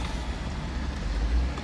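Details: Tesla cabin while driving after fixing a B-pillar seatbelt height-adjuster rattle, where a clip struck the metal body and was padded with foam; steady low road rumble with no rattles or ticks from the seatbelt area.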